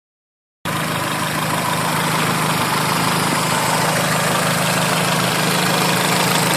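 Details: Normal, even idle after a rod knock was fixed. A steady, smooth low hum with no tapping or knocking underneath; the bottom end sounds healthy.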